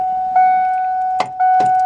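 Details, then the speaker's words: 1993-era Ford Ranger on a jump pack after sitting: warning chime, then sharp single clicks on each key turn with no cranking; faulty frame-mounted starter solenoid, ignition switch tested good at 12 V. "I'm going to try to start it and you'll hear what this does with a bad starter solenoid."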